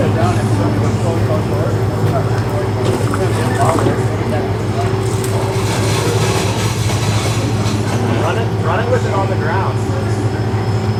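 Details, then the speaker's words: Corn head (bean-head) on a harvester during harvest preparation: a steady machinery drone with uneven loose clacks and rattles from untightened bolts. One bolt head may have worn a hole through its mount. "yeah we need to tighten these down this is what was making all that noise"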